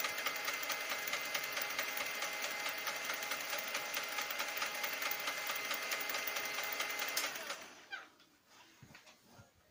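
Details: Lexmark X364dn printer: a harsh, rapid mechanical grinding with a fast steady chatter for about seven seconds. Replacing the fuser chassis and main drive assembly didn't help; replacing the duplex assembly solved it.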